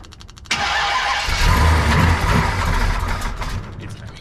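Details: Brand-new Mopar big block V8 in a 1967 Dodge Coronet 500 convertible, after a prior no-run from valves not closing fully: starter whirs briefly, then it fires at once and settles into a firm, even run; clean, healthy start.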